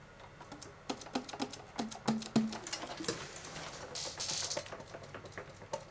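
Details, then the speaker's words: Octave key click on a vintage Selmer Mark VI saxophone, before and after repair technician's work removing key clicking: sharp metallic clicks at first, then softer and duller once fixed. "time trying to get as many as possible of these clicking sounds out of the way. And he did a fantastic job like Listen to this octave key before and after."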